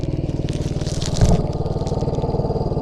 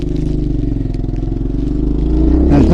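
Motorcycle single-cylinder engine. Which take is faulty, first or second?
first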